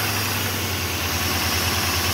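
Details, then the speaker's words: 2008 Pontiac Grand Prix 3.8L V6, 148k miles, check engine light, P0300: very rough, lumpy idle with one cylinder dropping out. Misfire on cylinders 5 and 2, which share a coil pack; no spark seen from cylinder 5. Coil pack suspected. "miles very rough idle I don't know if you can hear that got serious misfire so let's see what we got"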